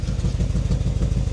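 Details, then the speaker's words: BMW E70 X5M, 4.4 litre V8, 83,000 miles, salvage auction car, at cold start idle: lumpy, stumbling, uneven chuffing instead of a smooth burble, smells really rich, clearly misfiring, but no knocking heard. "So it smells really rich. It's clearly misfiring. So it's clearly an issue, but the good news is it doesn't seem to be knocking."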